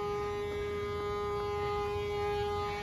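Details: Dump truck running with a ruptured air lift bag on the drop axle after it blew out with a metallic boom on the freeway; a loud, steady whistling hiss holds one pitch over the running noise as air escapes.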